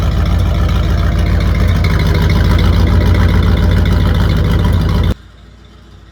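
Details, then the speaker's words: Old Ford Bronco cold idle through new 3-inch side-exit exhaust, plugs and wires untouched for about five years; uneven thumping with dropped beats and sputtering; engine missing, new plugs and wires to be fitted, cause not confirmed. "This thing is not happy, which I knew, but it's missing and sputtering and going to fix that."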